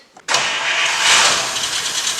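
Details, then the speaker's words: Godfather car after a carburetor rebuild with a new kit, cranked without touching the gas: it catches quickly and settles into a steady, hissy idle. The choke is open on a hot day and it now runs as it should. "see now your carburetor works exactly the way it's supposed to choke open on a hot day you know everything perfect and that's how you do it that's the way car supposed to run"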